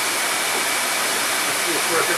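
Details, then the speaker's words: Newly installed over-the-range microwave's 4-speed exhaust vent fan, vented outside, test run on high speed: loud, even rush of air with no rattle, scrape or wobble; fan running normally. "but I expect that it'll blow the snot out of this thing. It's a pretty powerful motor, and it's 4 speeds, so let's see how it goes."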